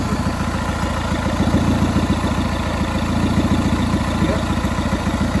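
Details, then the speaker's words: VW Polo 6N2 1.4 16-valve at idle: loud, raspy puffing on every exhaust pulse, far harsher than normal, from an exhaust leak at the failed catalytic converter, which was later replaced. "I definitely need to replace the catalytic conver I don't know if you hear"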